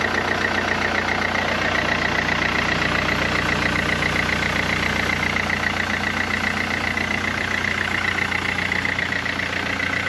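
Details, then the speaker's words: 2012 Mercedes C-Class just after water pump and auxiliary belt replacement, refilled with coolant, started to run up to temperature and check circulation; even steady idle, faint regular tick and light high whistle, healthy. "No, I've just got to start it up, run it up to temperature, make sure it's getting hot and circulating, check pipes, all that good stuff."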